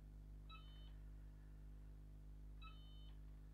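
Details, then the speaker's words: Sega Mega Drive II (Genesis) that had a blank screen and beeping/crackling audio, powered on: two short high beeps over a low hum; the game now starts, but the sound is still faulty, cause unknown. "hmm oh oh it doesn't sound right is it oh it has kind of come on though but something's not right hmm interesting"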